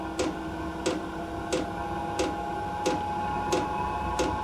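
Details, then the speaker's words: Cheap Chinese diesel air heater on a 12 V 360 W power supply, first startup in manual mode with a little diesel added: loud, even fuel dosing pump ticks about every two-thirds of a second over fan hum; normal priming. "right so ticking is quite loud exhaust gas is kind of stopped but it does sound like we're heading a liftoff"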